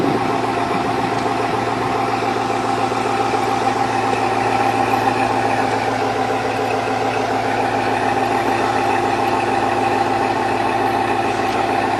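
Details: 2002 Chevrolet Avalanche, Vortec 5.3 V8, cold start idle: a hollow, fast knock rides over the steady exhaust beat, evident piston slap; Chevrolet claims no reliability or longevity issues from it.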